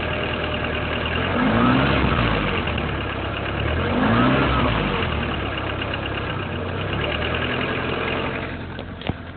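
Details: BMW E36 with M43 engine at idle: light, fairly even tapping over the hum, quickening briefly as revs rise; engine knock of unclear origin.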